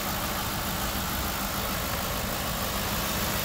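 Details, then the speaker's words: 2010 Ford Crown Victoria Police Interceptor, running on a jump box, which overheats after 20 minutes (possibly thermostat): even, steady idle with smooth rumble, no knocks, ticks, misses or smoke; engine idles normally. "no smoke no nothing motor sounds really good"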